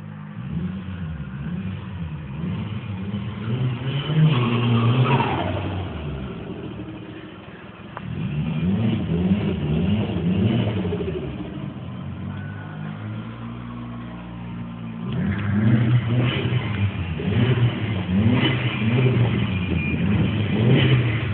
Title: exhaust leak